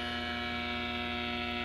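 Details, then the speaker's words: Vintage Motorola 40-60 tube AM radio in a shop with overhead fluorescent lighting: steady electrical buzz with strong low hum under the radio, changing as the nearest fluorescent is switched off; interference from fluorescent lights. "start with turning off the closest fluorescent and listen to the effect on the radio"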